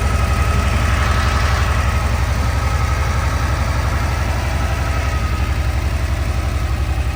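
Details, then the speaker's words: 1982 Porsche 911 Targa, same owner since 1983, sat about five years: deep even thrum at cold idle with steady firing pulses, no knocking, ticking or smoke. Seller notes it sometimes chokes and dies. "So you won't have any smoking issue. The motor doesn't knock. It doesn't make any weird noises."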